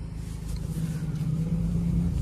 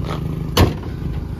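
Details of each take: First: 2011 Chevrolet Cruze 1.6 manual, engine running and smelling of burnt oil: steady low whine from the power steering, steering wheel very heavy to turn, pointing to a straining power steering pump. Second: 2011 Chevrolet Cruze 1.6 manual at a normal idle: even and low with no misfire and steady revs, broken once by a brief knock; the exhaust silencer is heard leaking.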